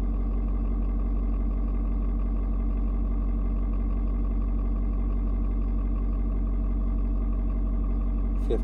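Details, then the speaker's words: Ford Super Duty 6.7 diesel just after a 56-degree cold start: tones vary as the engine reads outside temperature and adjusts fuel-air mix, then mellows into a deep, steady, even rumble with no knocks or misses; normal cold-start idle. "degrees today you can hear the truck engine kind of doing different tones what it's doing is it is reading and figuring out temperature outside it's trying to figure out you know um how much fuel to mix with the air"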